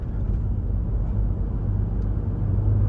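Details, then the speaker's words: Lexus GX550 Overtrail+ (2025) wind buffeting at about 38–48 mph: a low rumbling roar swells and pulses under cabin noise, louder with speed, blamed on the roof rack and airflow over the front design and roof. "the faster I drive the more it uh it it affects it the more you hear it the buffing of it and I think a lot of it is because the way the design of the front of the vehicle and the wind going over the top of the the vehicle it causes it to do it"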